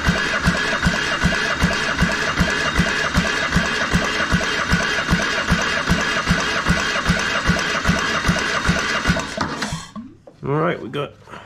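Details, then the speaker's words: Military surplus diesel transplanted into a RAMX hydraulic trench compactor, replacement starter: even cranking about two and a half turns a second, never catches; fuel system being primed, fuel not yet past the pump. "so we're gonna go ahead and crank it over until we get some fuel coming out of here maybe"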